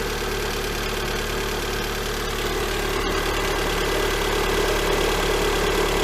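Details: Lada Granta 126 engine idling after full rebuild (bored block, new bearings, 82.5 repair pistons, new timing kit, guides, valves): fast regular ticking about three per second, cold and hot. Cause found: a seized, scored hydraulic lifter.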